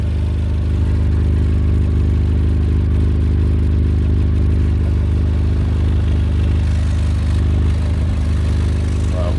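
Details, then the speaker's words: Suzuki Carry that failed its MOT on exhaust emissions, heard from underneath: steady low idle drone with rough puffing from a hole in the exhaust pipe; exhaust leak blowing, likely the cause of the emissions fail. "not sure whether you can hear that or not it does sound like there's something blowing"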